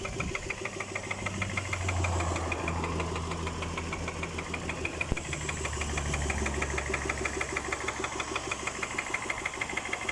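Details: Engine at idle: a sharp, regular knock about three per second keeping time with the engine over a steady idle; internal engine knock, cause unknown.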